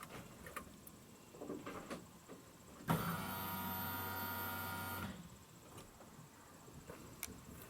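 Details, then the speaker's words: GMC at key-on after a new fuel pump, new gas tank and a replaced fuel pump relay: a steady electric buzz lasting about a second or two as the fuel pump primes normally. "a nice happy one second buzz of that pump i hope you heard it"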